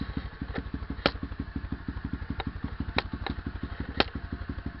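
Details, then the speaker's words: SSR pit bike single-cylinder, first start after fitting new CDI box: quick steady putter about nine pulses a second, light clicks; idle speed rose and owner hears more power; normal idle. "Oh yeah, I can tell there's way more power now. Yeah, there's a lot more power."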